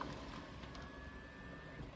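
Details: New Tesla Model X power seat moving (easy-entry driver-profile setting): faint steady electric whine about a second, smooth without catching; seat motor working normally.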